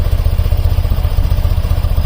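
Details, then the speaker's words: BMW airhead boxer twin after valve cover gasket, valve adjustment, timing and carb synchronization: even steady thumping just under 900 rpm (830–870), both cylinders pulling alike; balanced smooth idle after previously refusing to idle or rev. "from not wanting to idle what are not wanting to rev up to a perfect balanced part 8 30 840 850 something like that I like that sounds good runs really smoothly"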